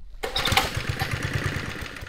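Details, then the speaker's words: 1972 Sears Roper mini bike, Tecumseh HS50 5 hp flathead, first start on starting fluid with choke on: small single putters evenly with no misses, no smoke, running on old gas. "Oh, it sounds good. Let's see. Dude, it's purring."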